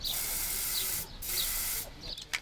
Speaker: Ist auf der Trashcan ziemlich gut. Stottert aber auch, man